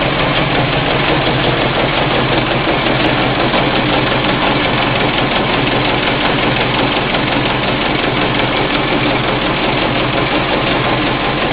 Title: Generator running slow and making a weird noise